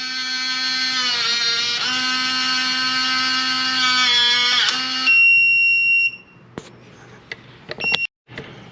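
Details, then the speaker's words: Kwikset 914 Z-Wave smart lock, door handing calibration after inserting battery pack while holding lock button; several seconds of shrill grinding motor whine then short beeps as it sets orientation normally. "When you do that, it'll make a lot of grunting and grinding. And then it'll actually set the orientation to show how deep the lock should"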